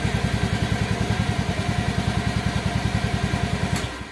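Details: Motorcycle fitted with a DIY relay anti-theft alarm, starting normally once the alarm switch is off: an even, steady idle thump of roughly nine beats a second with no misses or knocks, then switched off; healthy idle.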